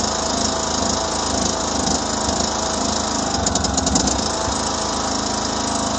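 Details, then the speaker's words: 2009 John Deere LA105 lawn tractor single-cylinder engine, cold first start after tune-up and fuel system purge with fresh 50:1 fuel: steady even putter, no misses; running smooth, about 80% improvement. "okay now it's running good smooth it idle may take this machine some time to come back around sort of for like a second Breakin period"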